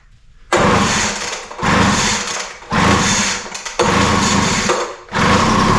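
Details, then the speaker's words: Poulan Pro 200 mph two-stroke leaf blower, non-runner, fitted with a replacement spark plug and given a start-on-spray test. Several short bursts of high revving, each dying within a second; spark, timing and compression are good, so the fault is carburetor/fuel delivery. "all right so that's a good sign that's what we' hope to see uh with that start we know that we have spark sparking at the right time we have enough compression to make it run"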